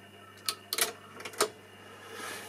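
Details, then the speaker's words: Cassette deck found at a German electronics dump, tested with an SL cassette: crisp mechanical clicks as buttons latch, then a quiet steady run with tape hiss; transport engages normally, and stop and rewind also work. "да, рабочий, ребят, это зачетно, это офигенно."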